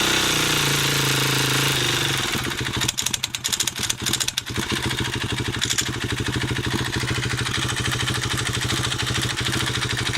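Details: Honda CRF250X single-cylinder dirt bike at low idle: uneven running with a sharp, regular tick over each firing pulse, then stalls.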